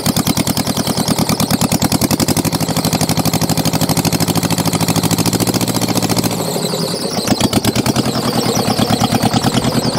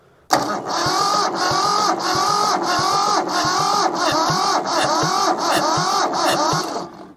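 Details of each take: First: Mitsubishi diesel tractor saved from scrap at a settled idle after a hard start aided by glow plugs: steady, even chugging with clean firing and no misses or knocks; running healthy. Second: Mitsubishi diesel tractor saved from scrap, cranking after oil was squirted into the cylinders to raise compression: uneven chuffs about twice a second, firming as a second cylinder picks up compression; previously only one cylinder had compression.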